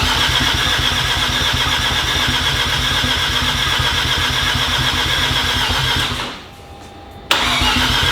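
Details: Mazda RX-7 FD 13B rotary, half-bridge port, Turblown single turbo, wastegates not yet hooked up, first start after long rebuild: fast even buzzing pulses about four per second with a brief drop, then recovers; thick smoke, running healthy.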